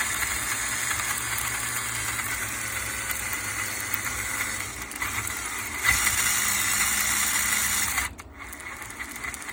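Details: Axial SCX10 RC crawler moving with a whining electric drive, an uneven rattle and a light squeak; the cause was loose screws, fixed by tightening, with WD-40 for the squeak.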